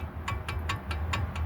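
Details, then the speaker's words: 2003 GMC Envoy with a loose-feeling front end and a clunk: sharp, evenly spaced clicks about five per second as the wheel is rocked by hand, showing lots of play in a worn outer tie rod end. "so got your outer tie rod not sure if you guys can see that too well on camera but you guys can definitely hear that we got a lot of movement on that lower Tire or outer tire"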